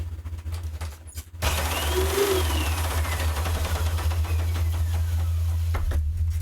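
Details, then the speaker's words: Hoover UH70935 upright vacuum after nozzle base assembly replacement: steady motor rush steps up as the brush roll engages when reclined and the tensioner hits the belt; brush stays off upright, spins evenly when reclined. Brush drive engaging normally. "now it's in the upright position it shouldn't the brush shouldn't turn Okay and then when you recline it the tensioner hits and then the brush should turn"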